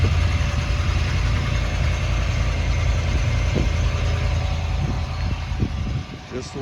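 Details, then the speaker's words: 2011 vehicle started after an exhaust repair, with the exhaust back in place but one band clamp still missing at the resonator. A low, steady, even idle with a soft exhaust note and no ticks, rattles or leaks: quiet and healthy. "let's see how it sounds with the exhaust put in place all right got my keys there's a little low start it up nice and quiet"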